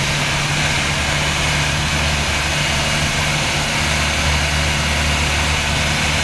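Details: Land Rover Series engine: deep uneven idle wavering and stumbling; rough running, owner thinks water in the gas, not confirmed.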